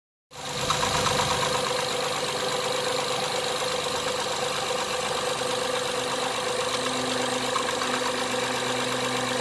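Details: 2012 Acura TL petrol engine idling steadily with a light, quick ticking running through the hum.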